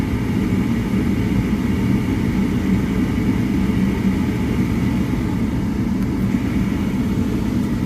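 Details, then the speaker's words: Downstairs furnace unit, call for fan not turning on, heat mode after inducer and igniter: constant heavy low rumble and rough loud blower roar, no speed change; motor shaking, tech suspects overamping and shutting off, bearings loud on startup. "Probably overamping and shutting off. Shaking too."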